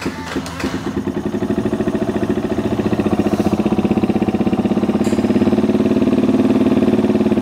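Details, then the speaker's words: Dirt bike, cold engine after carburetor cleaning, started on choke: single fires, catches and settles into a fast even putter held high on choke; idles higher than before with choke on. "so it might still need a choke because it is cold so we'll pull that"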